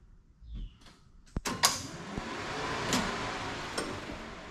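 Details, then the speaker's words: 1969 Camaro with replaced AC system, after fixing a compressor switch that wasn't making good connection: sharp clicks as compressor clutch engages, then steady fan whoosh; normal AC compressor clutch engagement and fan operation. "you should hear the fans kick on and the AC compressor click on and see if I can do we all can hear it"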